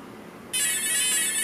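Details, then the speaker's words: Align RCE BL80X/BL50X helicopter ESC during transmitter setup: after a quiet half second, a single sustained bright tone through the motor acknowledging the accepted setting. "so there's the acknowledgement that accepted this edge let's accept it"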